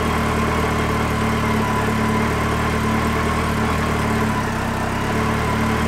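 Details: Yamaha XJR motorcycle after oil-leak repairs, carburettor synchronisation redone and idle adjusted: smooth, even four-cylinder idle with steady beat, no ticking or puffing from the headers; the earlier noise is gone.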